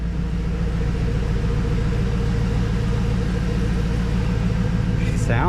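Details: 2004 GMC Yukon Denali fired up after brake booster replacement (booster was leaking power steering fluid), checking for leaks: low, even idle rumble with steady beat, no misses, knocks or squeals; engine idles smoothly, no leaks.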